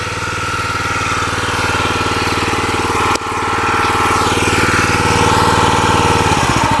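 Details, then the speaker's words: New log splitter's small engine at idle, which owner says vibrates badly and can stall there, needing half throttle; loping uneven beat with shaky rattle; rough idle vibration, cause not pinned down. "Okay, now I'm going to show you all how bad this thing vibrates when it's at an idle, and it will actually stall."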